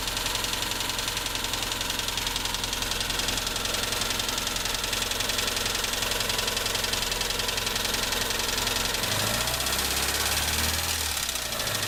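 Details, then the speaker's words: ZAZ Tavria with MeMZ-245 engine, about 800 km after overhaul with Avtramat pistons and 1.2 crankshaft, idling on choke: crisp metallic knock in step with idle that grows when cylinder 4 is cut; suspected piston pin-to-piston knock in cylinder 4. "Стук отчетливый. Пробуем отключать цилиндры. Отключение 4-го цилиндра. Стук усилился."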